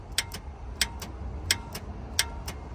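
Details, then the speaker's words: Lexus RX350, towed in dead: sharp paired solenoid clicks about every two-thirds of a second with no cranking; solenoid engages but starter motor has failed and needs replacing. "hear the solenoid click so it wants to start it wants to turn over but it uh it's not that's a fail"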